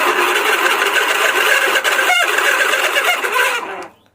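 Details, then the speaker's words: Table fan running: loud, uneven buzzing rattle over the motor hum, steady throughout; worn, loose motor bushing. "यह बहुत ही ज्यादा आवाज हो रहा है कि हम तो चल रहा है लेकिन बहुत ज्यादा आवाज और है"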